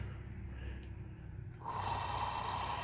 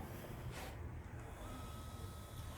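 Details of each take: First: Z motor tested with belt rolled off, running alone in constant mode: rough uneven whirring jumping to a harsher louder tone, sound of a bad motor that gradually gets worse; motor itself failing, needs replacement. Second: Replacement Z motor running in constant mode, compared with a known bad motor: low, soft, even hum with no knocks or whine; normal motor run.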